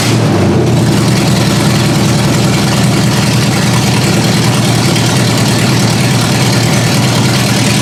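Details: Ford Granada V8 on open headers with no exhaust, first start-up after work: lumpy, uneven rough idle. The owner raised the idle speed and backed out the carb mixture screws until it idled on its own.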